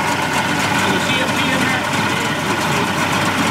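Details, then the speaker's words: 1988 Mercury 70 hp inline three-cylinder two-stroke outboard in a test tank after carburetor work. Busy, even two-stroke burble with a splashy hiss, holding a steady idle; runs clean. Normal idle. "that's the way you want to see boy the sound of these these inline mercs i just i just love the way they sound and they even sound better out of the tank on ears"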